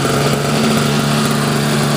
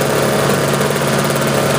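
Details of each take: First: Mid-1990s Sears Craftsman single-stage snowblower, Tecumseh Snow King two-stroke on 40:1 mix, non-adjustable carb cleaned and rebuilt, choke fully off: a fast, buzzy, slightly unsteady run. It runs extremely lean, so half choke is advised for the first 2–3 minutes of warm-up. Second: Sears snowblower on half choke just after start, following a carb rebuild, new float, bowl, fuel line/filter, primer bulb and spark plug; non-adjustable carb runs lean; loud, smooth, even drone under auger load, no hunting or misfire; running healthy.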